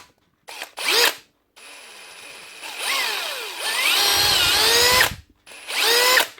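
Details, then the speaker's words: 2017 Hitachi DV18DBXL brushless cordless drill before repair: motor whine surges, sags and jumps in pitch in short bursts with no steady speed; speed erratic, owner hopes it's just the faulty trigger switch. "still working. Speeds all over the place. Hopefully it's just a switch."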